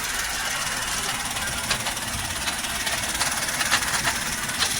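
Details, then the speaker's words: 2015 Maruti WagonR K-Series manual: loud, uneven metallic rattle at idle from inside the gearbox. Reverse won't engage, 5th is faulty, and the car won't move in gear. Gearbox fault suspected, not confirmed; gearbox to be removed. "आवाज़ gear box के अंदर से समझ में आ रही है"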